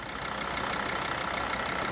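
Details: Jeep Grand Cherokee 2.7 diesel after bleeding air from the fuel system with a hand primer bulb, following a valve replacement that had aired the system: even, steady diesel clatter at a settled idle with no stumbling or hunting; idling smoothly.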